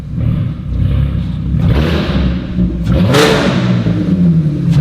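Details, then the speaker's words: Engine-swapped VW Caddy van with no rear exhaust section: very loud, raw, deep bark at idle like a dragster, swelling hard on blips. "But on the on idle, it is it's like it sounds like a like a high fuel dragster, doesn't it?"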